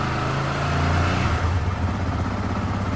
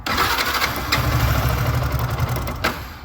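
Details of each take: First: Yamaha R15 v2 single-cylinder motorcycle, odometer 7,600, first start after sitting unused for a couple of years: runs steady and even on slightly raised throttle with no misses or knocks, with a fuel-burning smell noted; healthy normal running. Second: Yamaha R15 v2 motorcycle revived after sitting unused a couple of years: short crank, then a ragged, uneven start that never settles; won't hold idle and shuts off at idle. Owner suspects the spark plug and may replace it.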